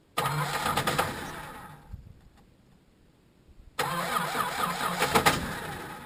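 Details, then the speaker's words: Chrysler Valiant VJ, sat 25 years, ignition dodgy: engine runs unevenly, fades and dies as the bowl empties, then restarts and runs rough; stalling from fuel starvation. "all right that's all the fuel out the bowl she's a guy"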